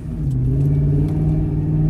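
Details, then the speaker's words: Lincoln Town Car on a road test after a rear differential gear-oil flush. The old oil was contaminated like grey metallic paint; the vent was not clogged and the axle was not starved of oil. At the same speed there is only a smooth drone, and the earlier chatter is gone. "Hey guys, so just road testing, and everything is smooth and quiet. I'm actually going the same speed down the road as I was earlier in this video, so you don't hear that chatter in the background anymore."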